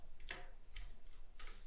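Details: Industrial straight-stitch sewing machine running: sharp knocks about every half second over the motor hum from the reverse mechanism, getting worse at longer stitch lengths (around 4–5); fixable by adjustment.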